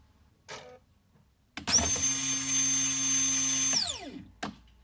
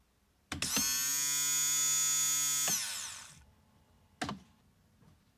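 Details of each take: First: Fuel pump from the tank of a 1998 Jaguar XK8, which reportedly burnt through two pumps, on a two-second bench run: hard high-pitched whine over a steady hum. Sounds abnormal and unlike the other pump; cause unconfirmed. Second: 1998 Jaguar XK8, new fuel pump bench-tested outside the tank, not submerged: clean steady high whine for about two seconds, then spins down evenly with no rattle or surging; normal fuel pump whine.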